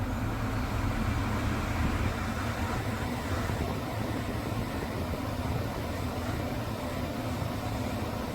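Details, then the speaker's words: Mercedes W221 S550 4Matic blower motor that intermittently blew no air, cleaned and heavily greased; on a retest at max the earlier noise does not repeat: steady airy rush, even rumble, no squeal or rattle. Owner hopes grease caused the noise but expects to need a new blower motor. "Okay, it didn't repeat it."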